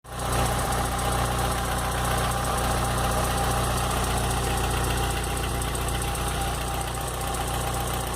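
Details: 2007/2008 VW Gol G4 at idle; a light, uneven ticking knock of about two or three per second over the engine hum. The source is unclear.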